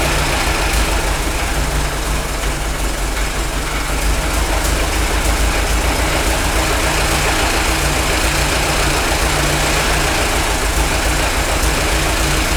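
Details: Worn-out Ford Model T engine on a PTO power unit just after starting, no coolant: loud uneven idle with a loose clattery beat about 3.5 times a second; owner says it smooths with warm-up and mixture adjustment but stays noisy.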